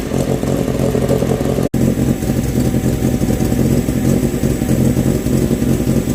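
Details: Renault 16 TX engine after rebuild: strong, even note running and revving cleanly, no knocks or rattles; normal running.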